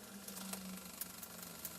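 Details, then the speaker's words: Mighty Car Mods turbo Hilux at first start, running an old speedometer from the Haltech ECU with the needle near 120–140 km/h: faint steady whirring hum with light ticking from the spinning speedo drive and cable, expected to quieten if the cable is straightened. "And the weird thing is I can hear the machine. >> Yeah. This should this should quieten out if you straighten this."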